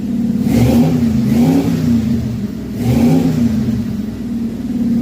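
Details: Carbureted Chevy V8 stored since 2010, first start in 15 years after new carb, fuel pump, plugs, wires, Hooker headers, custom H pipe and two Flowmaster mufflers; deep burble with three crisp blips in five seconds, climbing and settling cleanly; normal idle and revs.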